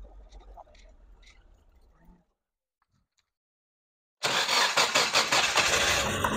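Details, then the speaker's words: Rebuilt 600hp Nissan SR20DET on a new harness, before street tuning, light throttle: after a quiet pause, loud clean revs rising and falling smoothly with no knocks or rattles; healthy. "all right well that sounds amazing Derek what's our next stop"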